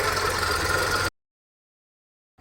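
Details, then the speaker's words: VW Polo petrol after ECM repair (fan previously ran as soon as ignition was on), cold start with AC off and no warning lights: steady even idle about a second, radiator fan not running; normal cold idle, fan later ran only once warm. "வண்டியை start பண்ணுறேன். Start பண்ணியாச்சு. எதுவும் warning indications எதுவும் இல்லை. AC on பண்ணல. Radiator fan ஓடுதா இல்லையா check பண்ணிடலாம். ரேடியேட்டர் ஃபேன் ஓடல."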